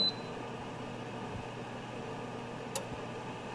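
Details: Geneva four-element infrared quartz space heater, electronic control, switched to low: two crisp relay clicks a little under a second apart over a faint room hum; normal element switching, lower power draw.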